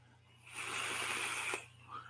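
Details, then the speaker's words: Vape atomizer on a TVL/Plan B dual 21700 brass mod, overfilled with juice, gives a one-second rushing draw with wet, spitting, gurgling rattle. "now overfilled that little baby sounds nice thought that was hot y'all hear that gurgling"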